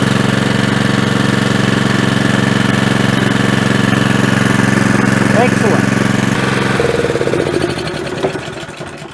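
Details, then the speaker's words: Honda GX200 petrol generator of unknown condition, started on full choke: small single-cylinder fires up, settles into a steady even beat with no knocks or misses, then shuts down; healthy running. "that went beautifully I reckon it actually would have started first pool but I had the choke on"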